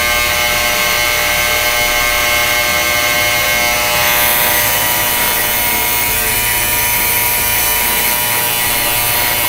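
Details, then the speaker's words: Yescom 6L stainless steel commercial ultrasonic cleaner, new, just switched on with heat (21°C, aiming about 60°C) for 30 minutes: very loud harsh high buzz with fast steady rattle, unit vibrating; owner unsure it's normal, cause unknown. "Wow, that buzzes a lot. Okay, really makes a racket. Listen to that. I wonder if it's supposed to sound like that. That is terrible."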